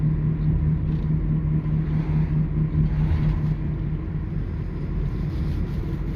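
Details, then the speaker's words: 2009 Toyota Sienna FWD 3.5 V6 coasting off the throttle: low droning hum under road rumble that holds for a few seconds, then fades; the owner attributes it to a bad front wheel bearing, thought to be on the right/passenger side. "So, especially if you don't press the gas a little bit, let the car just drive on idle for a little bit. And then see, and you can hear it na nice, nice and loud."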